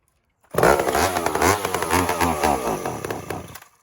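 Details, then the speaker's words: Old big chainsaw (Pioneer P51 or Husky 2100) on a chilly day: uneven buzz with revs surging and sagging, not settling; running rough, owner almost sure carburetor diaphragm, unconfirmed. "okay diaphragm the thing runs we know that but I can almost guarantee it's a diaphragm unless unless it gets going"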